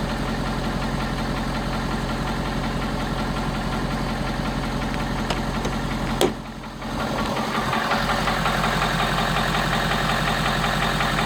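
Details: 2017 Ford F250 Power Stroke diesel V8 on a cold start, idling with a steady, rhythmic knock of about three beats a second over the clatter. The knock subsides as the truck warms up.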